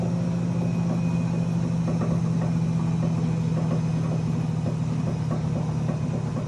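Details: GE Profile UltraFast Combo washer-dryer at high spin: steady low drum hum with faint, fairly regular knocks on top, something striking as it rotates; owner unsure whether normal.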